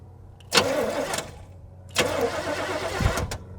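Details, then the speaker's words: 1978/79 Chevy K20 4WD, automatic, V8, sitting about 15 years, cranked via a temporary jumper-wire starter button with a mouse nest in the air cleaner: two bursts of even cranking, the engine spinning freely without binding; not seized, normal cranking. "I got this temporary jumper switch hooked in. Or starter switch hooked in with jumper wires. I'm going to see if it cranks."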